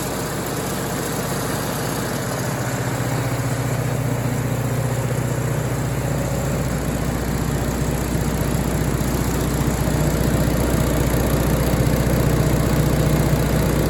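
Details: MEP-802A diesel generator bought at auction, after fixing no-fuel fault by unplugging fuel level switch; warm, a little over 160 on temp; steady even low diesel drone, smooth regular beat, no knocks or misses; running healthy.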